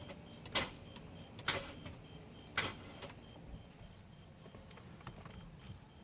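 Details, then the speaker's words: 2007 BMW 335i E92, manual, no-start for months: pressing start gives three sharp clicks a second apart then faint ticks, engine never turns, lights dim; starter replaced twice, starter ground cable, clutch switch, battery replaced; tow-starts fine, no crank. "it wants to turn on but it's like something's holding it back"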